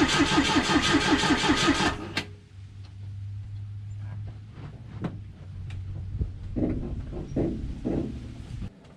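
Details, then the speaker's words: Volvo B20B engine cranked without fuel after a cooling system flush and refill, oil in and cylinder walls lubricated: about two seconds of even, rhythmic cranking with no catch or clatter, compression even and healthy; battery seems to need charging. "sounds healthy i think the battery needs to be charged up again and this that was a good test"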